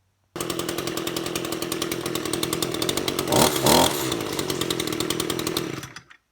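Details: Echo GT225L two-stroke string trimmer after repair of slow response to trigger despite warm-up: crisp buzz holding high revs with a quick clean blip, no hesitation or stumble; runs as it should.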